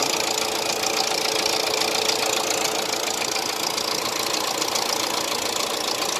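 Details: Hyundai Accent at steady idle with a sharp, regular knock about three to four times a second riding over the engine; clear engine knocking.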